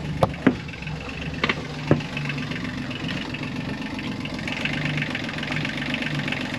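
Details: Yanmar 3YM30 three-cylinder marine diesel at anchor, after clearing hydrolock and replacing the oil and oil filter and fitting the air filter: starts first time, a few sharp start-up clacks, then a steady even idle with no knocking; still some white smoke.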